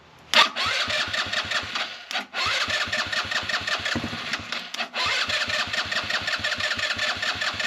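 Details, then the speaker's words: Buggy with a carburettor air-setting problem; the air filter soaked with water was dried and refitted. The engine fires to a fast buzzy beat, then the revs drop out sharply twice before recovering. Misfiring; carb air/idle adjustment is suspected. "Tu entends que le régime il va couper. Il doit remodifier un petit peu soit l'avance soit le retard de l'air."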